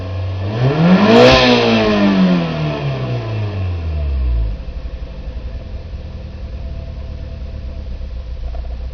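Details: Nissan Micra K11 1.0 with cylinder 1 misfiring below 2,500 rpm; engine revs up and falls back, then settles into an uneven, stumbling idle with a skipping beat; misfire at low rpm.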